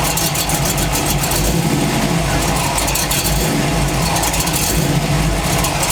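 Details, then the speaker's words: Chevy truck V8, camera under engine, revving: loud rough idle with harsh rattling clatter rising with revs; owner suspects cracked flexplate, not confirmed. "it's making a wretched noise once i start revving it"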